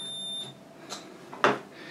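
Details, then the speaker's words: Carbon composite control lever with unprotected steel bearings: a multimeter continuity beep of about half a second shows the carbon conducts, so current can flow between carbon and bearings, risking galvanic corrosion. "this voltmeter and if if it conducts it beeps so if you take the carbon you can show it it's conductive"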